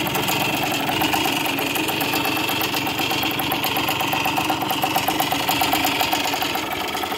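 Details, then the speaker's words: 1981 model for sale for restoration, idling: uneven idle with a light metallic rattle over the exhaust. There is play in the crank from worn bearings and it needs a rebuild; the crankshaft seal on one side was renewed. "and that's what I know if there was a bit of play in that crank so you know I don't want a hoodwink any body you need to rebuild it"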